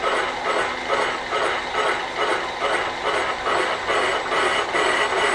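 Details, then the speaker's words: Normal carbide boring cut in a cast iron wood chipper flywheel bore, power feed engaged from the bottom; even rhythmic scraping about two per second, smooth with no chatter or squeal. "And we're just cutting. Now that's what cast iron sounds like, and it's nice and smooth."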